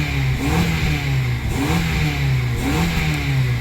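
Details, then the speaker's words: 2004 Honda Accord engine revs rise and fall cleanly with no misfire or popping after the failed ignition coil was replaced with a spare; check engine light out, little hesitation, sounds good. "Check engine light is out. Little hesitation. She nice and smooth now. Oh. She sound good to me."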